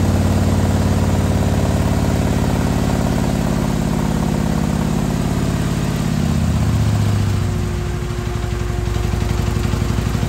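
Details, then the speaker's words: 2020 Harley-Davidson Road Glide, fresh 130-inch T-Man Performance stage four engine on a dyno pull after warm-up (result about 155 ft-lb torque, almost 153 hp): deep, steady, even V-twin beat pulling hard, easing off near the end; normal running under load. "155 foot-pounds of torque almost 153 horsepower wow not bad yeah 140 foot-pounds of torque 2600 rpms"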